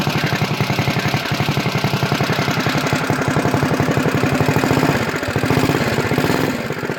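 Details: CT200U-EX mini bike, governor removed, PVL flywheel, Mod 2 cam, 22 lb valve springs, ARC billet rod, RVL exhaust, Mikuni carb, just reassembled: rapid single-cylinder thump, slightly uneven with throttle, sharp exhaust crackle; runs healthy and strong.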